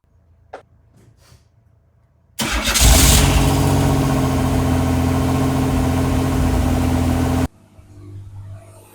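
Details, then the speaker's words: Kit-car replica on 1986 Pontiac Fiero GT chassis, started after battery replacement and long sitting: quiet, short crank, catches straight away and settles into a smooth even idle; healthy start. "All right, so as you saw, fired right up, running great. Gonna let it idle a little bit since it's been sitting so long."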